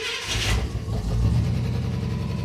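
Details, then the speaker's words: 1977 International Scout II V8 after its carburetor was repaired (Motorcraft 2100/2150 2-barrel replacing the Holley 2210), pumped with the choke pulled: cranks a few seconds, then catches and runs steadily on all eight, a little loud, while warming up. "we'll just go ahead and let it warm up it sitting on all eight cylinders now a little loud"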